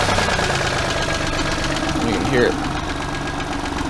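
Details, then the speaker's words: 1997 Geo Metro towed car that now runs and drives but has a loud, rough internal knock that grows harder under acceleration; a spun bearing is suspected but not confirmed, and a new motor is likely. "i have the metro running i've even driven it down the road back and forth but i still got a wild knock when i accelerate"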